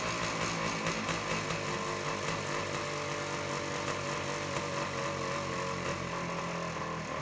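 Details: 1978 Suzuki PE 250 two-stroke dirt bike awaiting restoration, started after carburetor float work, throttle cable likely the wrong one; crackly uneven buzz holding steady and running on cleanly without dying, healthy.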